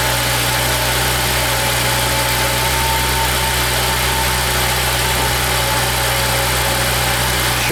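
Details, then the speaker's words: Volvo 3.2L straight six right after a 100,000-mile spark plug change with E3 plugs, cold start: smooth, even fast idle with steady hum, no stumbles or misfires; idles down once pre-cats warm. "nice and smooth it shouldn't sound rough it shouldn't be misfiring so so once the uh catalytic converter warms up a little bit it should idle down there it goes now the pre-cats are warmed up and that's how it knows to idle down"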